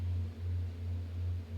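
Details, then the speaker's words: Room fan noise picked up by the microphone on a GoXLR Mini mixer with noise elimination turned off: steady low hum with faint airy hiss, nothing else. "Let's turn off my freaking noise elimination on here. So let's turn it off. Do you hear all that noise in the background?"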